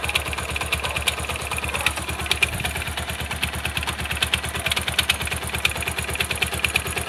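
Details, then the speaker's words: Pulsar motorcycle with a new strange noise on the left flywheel side, at idle: fast, uneven metallic chatter of about three ticks per second. Teardown of the flywheel and starter gear found a worn starter one-way clutch. "yo no sé si ese ruido es en la volante Pues en la cabeza de fuerza pero si definitivamente es por este lado de acá"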